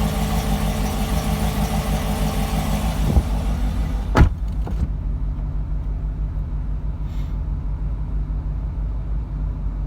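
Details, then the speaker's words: 2012 Corvette V8 with heads, cam and supercharger, cold idle, door cracked open: lumpy uneven idle with a missing beat, then evens out; misfires whenever cold, within the first 15 minutes of driving. "getting a misfire whenever the cars cold and cold could mean anything in the first 15 minutes of driving it"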